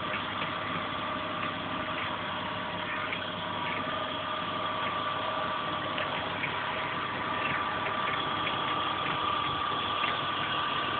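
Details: BMW E36 320i with unidentified engine noises at idle: a steady idle with a faint, fairly quick ticking over a thin whine. Abnormal engine noise, cause undetermined.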